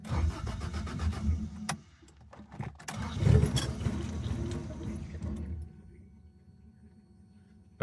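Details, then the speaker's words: Rebuilt 4AGE engine in a 1975 Toyota Corolla KE35 after head gasket install, no exhaust on the manifold: it cranks, catches and coughs unevenly for a few seconds, very loud, then dies; ignition timing is off. "Okay, that was really loud. I actually don't have the exhaust on the manifold, by the way, either at the moment. Wow. Wow. That's open manifold. Holy [ __ ] that's loud. Okay, so timing is bad, obviously."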